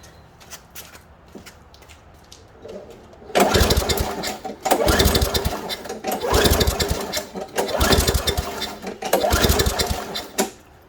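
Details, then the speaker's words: Craftsman 5.5 hp lawnmower that sat all winter, primed and pulled with the air filter off: several pull-cord rips turn it over briefly but it never catches. The spark plug came out very wet, so the old fuel is to be drained. "Okay, so nothing's happening there."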